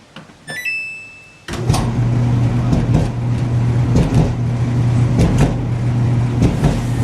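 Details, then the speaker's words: Kenmore clothes dryer starting after a panel beep, low hum broken by uneven heavy thumps from a cracked drum; customer complaint of loud thumping noise. "As you can see, it's made by Kenmore, and this customer's complaint is that it's making a lot of noise, thumping noise."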